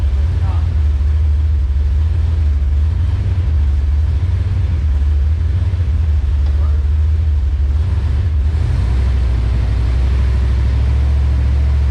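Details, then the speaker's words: Engine-swapped car after fitting new plugs and new wires and sorting the transmission: a deep, even drone with no skips or stumbles, a brief dip, then steady again. It is running normally, though it still needs a re-tune. "i hope everybody can hear the difference like i said guys that's it super super excited"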